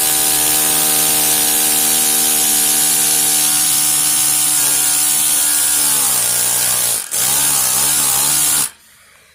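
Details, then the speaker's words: Tiny micro steam engine run on compressed air: quick, even chuffing over a steady buzzing tone that sags in pitch near the end before cutting off; the engine runs smoothly. "These will run off air pressure, so let's just have a listen here. It sounds cool."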